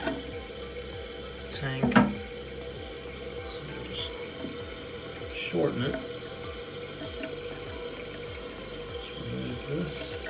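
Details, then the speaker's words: Toilet tank refilling after the water is turned back on following a flapper replacement with a Korky rubber flapper: a steady rush with a few gurgles that settles with no lingering trickle, so the new flapper seals and the refill is normal. "you'll hear water start coming in listen for water trickles don't hear it not this time"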